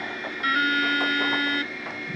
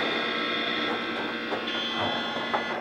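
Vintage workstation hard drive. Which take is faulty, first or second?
second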